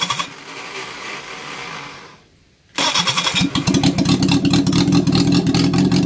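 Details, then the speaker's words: Reliant Fox engine, unrun for years, running on the garage floor after the valve clearance fix restored cylinder 4 compression to 150. A quiet spell, then it catches into a steady, even run with no knocks or stumbles: normal running. "so there you go it's a small leap for this man but it's a massive leap for the project Fox we have an engine the engine works it sounds fantastic"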